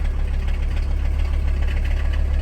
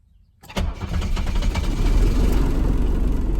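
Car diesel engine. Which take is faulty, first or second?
first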